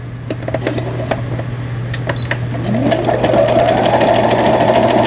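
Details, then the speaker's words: Repaired Brother CS100 computerized sewing machine on pattern 8, overlock stitch; even stitching about three and a half stitches per second, speeding up smoothly with the motor, sounding healthy — normal overlock stitching after repair. "네, 7번에 삼각형 모양의 지그재그 바느질, 8번에 옷감이 풀리지 말도록 해주는 오버록 스티치가 되겠습니다."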